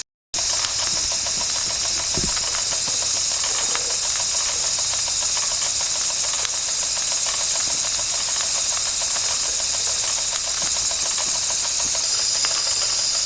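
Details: 1992 Wilesco D400 live steam toy tractor, no. 447 of 600, running after a fix: a constant steam hiss with light, regular ticking from the little engine, running smoothly.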